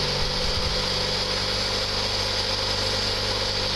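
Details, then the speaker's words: 1.9 engine after dropped valve seat repair, new timing belt and valve train, first start, cold, before reaching operating temperature: steady, even idle with no lifter tapping or misses over a constant hiss; normal idle. "that sounds pretty good guys I don't hear any tapping so the LIF was pumped right up when I was cranking it that's good sign"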